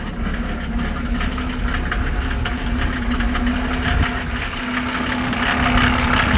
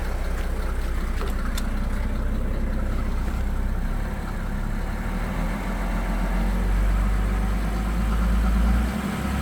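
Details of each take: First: 1987 Mercedes 300SDL W126 OM603 diesel, cold start before diesel purge: loud, uneven clatter about three beats a second over the rumble at idle; no smoke, no blow-by. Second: 1987 Mercedes 300SDL W126 OM603 diesel, during diesel purge: steady, even idle with only soft, light clatter and no harsh knocking; much quieter after the purge.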